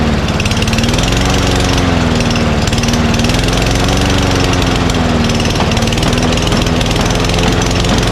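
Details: Mower after hard starting: a loud drone whose pitch wanders up and down instead of holding steady. Owner suspects a sticky carburetor float or debris in the bowl restricting fuel pickup.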